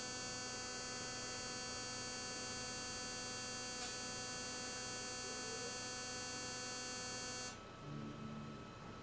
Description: noise from speakers when fast forward is hit or when navigating to main menu